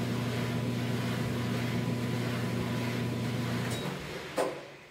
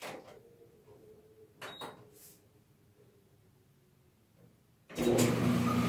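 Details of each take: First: Dryer, model PDVH515EF0W, after drum bearing replacement that fixed a shrieking noise: steady low hum with soft even whir, no shriek or squeal, winding down to a click at stop; drum turns quietly. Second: GE dryer, model PDVH515EF0W, starting up: steady low hum with a thin high shrieking squeal pulsing with the tumbling drum. A worn drum bearing is suspected, not confirmed.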